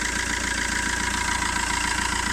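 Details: 2008 Fiat Linea at 270,000 km, after first timing chain replacement at 267,000 km: smooth even idle with steady pulse, quieter and clearer than before, no chain slap, rattle or other odd noise.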